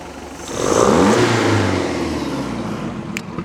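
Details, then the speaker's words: 1976 MerCruiser 120 hp, acceleration dead spot fixed by recentering the carburetor, clearing a plugged hole and adjusting the float: revs cleanly from idle to a strong pull and back, no stumble or flat spot. "just rolls right on and gets after it"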